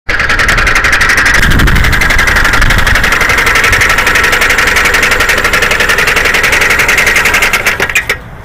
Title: Toyota Camry Engine Knock